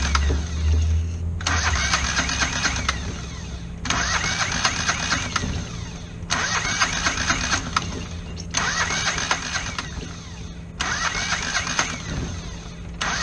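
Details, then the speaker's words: Kohler 725cc V-twin mud motor with a thrown rod in cylinder one, cranked on the good cylinder: uneven cranking bursts and kickback, timing firing too early from a broken flywheel key; ignition timing too advanced. "the engine was like trying to fire the one good cylinder too early so figured out the timing was probably off"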